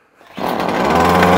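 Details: Titan strimmer, primed two-stroke that previously ran only on choke, after a carburetor swap: catches and settles into a steady high buzz with choke off, holding revs evenly; carburetion healthy.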